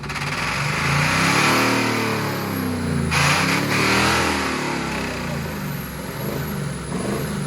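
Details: Diesel truck with gasoline poured down the intake surges and swings in revs on its own with no throttle, loud and rough, keeps running until shut off with the key; diesel runaway, blown head gasket suspected.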